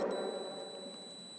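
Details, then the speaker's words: Multimeter on continuity setting testing a 10-meter wire: a steady, unbroken high beep holds through the test. Continuity beep, the wire is intact. "है तो यह आवाज जाना है इसका मतलब यह वाइट जो यह ठीक है"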